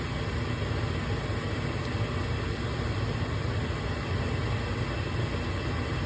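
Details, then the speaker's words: Gas furnace that kept cutting out, powered back on after cleaning the flame sensor: steady, even inducer motor hum with no rattle, scrape or surging before the igniter lights; normal inducer motor run. "now we'll plug the power back in here we go we hear it kick on inducer motor goes give it a sec we'll see the igniter light up"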